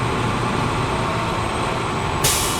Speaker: So we're going to bring it back up to 120. So we're building it up. We're gonna make sure we hear that sneeze, right? The governor.